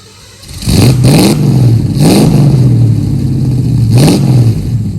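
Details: 1969 Ford Mustang V8, revived after sitting 15 years, on test drive after new exhaust and tips, gas tank and fuel lines: deep rumble climbing smoothly through three quick revs pulling away, clean burble, no miss or knock.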